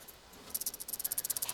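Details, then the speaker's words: Honda CR500 two-stroke teardown, connecting rod rocked by hand after wrist pin removal: light quick metallic rattle from a worn, loose wrist pin bearing that needs replacing; piston also worn with cold seize marks. "Can you hear it? It's rattly, so it's loose. It needs to be replaced."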